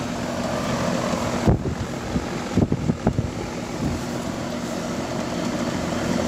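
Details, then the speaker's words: Amana 13 SEER 1.5-ton outdoor AC unit after repair of a compressor that would not start (4-blink locked-rotor code), thermostat calling for cooling: steady fan whoosh over low compressor hum, no buzzing or clicking; normal running. "Put the disconnect back in. Sounds better. Fans on. Compressor's on."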